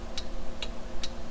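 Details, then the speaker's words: 2002 Toyota 4Runner after LED bulb conversion, adjustable flasher screw turned from too fast to right speed: crisp, even clicks about every 0.4 seconds, a normal turn-signal flash rate. "that still seems like it's a little bit fast that sounds about right all right I think I got it i justed it just a tick more"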